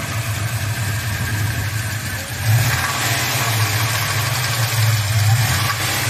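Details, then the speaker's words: Chevrolet Chevelle with a turbocharged 5.3 V8, warm, at light throttle or cruise load around 2,000 rpm. A faint metallic rattle rides over the drone, source unknown. It starts and runs fine with no power loss at wide-open throttle. "the engine is making a weird rattling sound and I have no idea where it's coming from"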